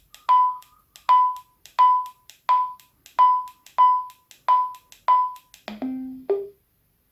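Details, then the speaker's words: Abbree Bluetooth push-to-talk accessory on Quansheng UV-K5(8) radio: eight short clear beeps near 1 kHz about a second apart, then lower tones marking minimum/maximum volume limit reached; normal behaviour. "Все, когда происходит такой звук, это минимально. И максимально тоже до определенного звука."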